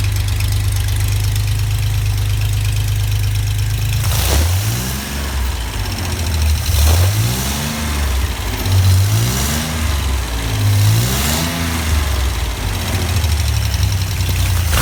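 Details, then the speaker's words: Rebuilt GMC 305 V6 on a run stand, with high-zinc break-in oil and a cam already broken in: a smooth idle, then quick rev blips rising and falling cleanly with no knock or miss. It runs great. "man this thing runs great"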